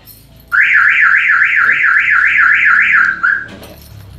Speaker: oh kalau alarm bunyi sendiri Anda lihat lampu LED menyala terus inilah eh salah satu penyebabnya berhubungan dengan nyala lampu rem yang nyala terus tanpa bedanya ditekan